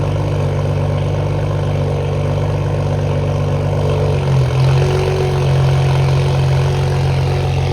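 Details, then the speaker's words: Toyota Supra idling cold just after new downpipe install and cold start: deep steady idle settling smoothly, no ticks or knocks; idle sounds similar to before the downpipe. "At idle, sounds pretty similar, but we're gonna go rip it a little bit and see how it sounds."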